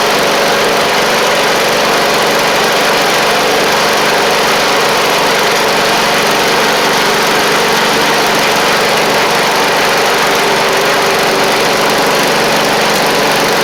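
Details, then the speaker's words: Briggs & Stratton V-twin on a free Poulan Pro (Craftsman) riding mower, steady slightly rough note with no rev change; carb flooding itself out from failed needle and seat (fuel pump not suspected), carb to be replaced. "it's doing is it's flooding itself out down here, as you can see."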